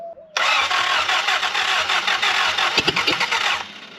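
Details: Willys L-134 engine in a Jeep FC-150 frame, worn motor, cranking after swapping to an old-style carburetor: starter spins it steadily for about three seconds with quick even chugs, but it never catches. Plugs later found carbon-black. Cranking without starting.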